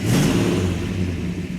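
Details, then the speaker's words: 1967 Plymouth GTX 426 Hemi four-speed convertible fired up for its first road test, with a deep, steady V8 rumble settling evenly after start-up and no misses or knocks; the engine sounds healthy. "sounds healthy it does"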